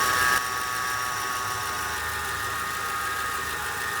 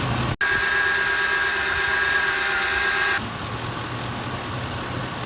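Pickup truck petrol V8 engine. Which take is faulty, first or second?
first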